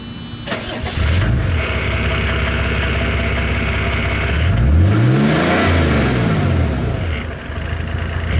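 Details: 1987 Mercedes-Benz 300D diesel after fitting a Hushpower Pro 3" muffler on 3" pipe from the catalytic converter: clatter settles into a deep steady exhaust drone, rising smoothly when revved and returning to even idle; normal.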